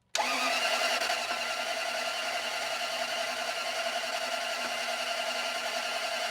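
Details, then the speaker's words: Toyota Land Cruiser that died while driving after days of a tick-tick, with no compression reported and a suspected broken timing belt, on a fresh battery: steady whirring crank with a whine, no firing. Cranks but won't start, though it sounds like it may not be the belt. "Did you hear it sound like it was doing things? I thought this thing had a broken timing belt. And if it sounds like it's doing things, it might not have a broken timing belt."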